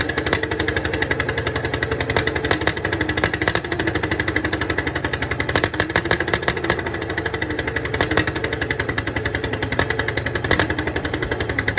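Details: 1951 Caterpillar D8 2U dozer, sitting since 1990, big diesel freed after being stuck, first run on its own power: steady lumpy chugging beat with clattery valve ticks throughout. Running fine.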